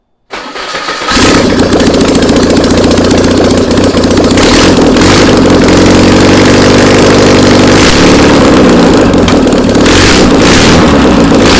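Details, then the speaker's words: VW Beetle engine sitting two years, on a start stand with a new control box, after adding fuel by squirt bottle: brief crank, catches within a second, then a steady, even flat-four idle with no misfires. "Hey, it runs. Come check this out. This thing works awesome."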